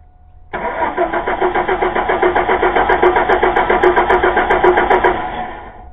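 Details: 2000 Chevy Blazer: starter cranks at an even pace of about four beats a second for five seconds, engine never catches; no-start caused by a bad distributor cap.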